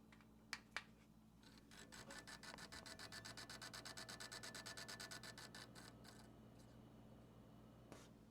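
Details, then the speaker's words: Used 6700 XT graphics card bought on Facebook Marketplace, heard after install: fast rhythmic scraping about three times a second over a quiet hum, fading as the fans slow. The noise comes from worn GPU fans, which need replacing. "that noise is coming from the GPU fans. I'm gonna have to replace those."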